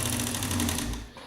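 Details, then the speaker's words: Old sewing machine after unseizing with oil, run slow 3 to 5 minutes, now at full speed; fast even mechanical chatter with no belt-slip squeal, then winds down. Normal running. "And as you can hear, no belt slippage. Everything is moving fine."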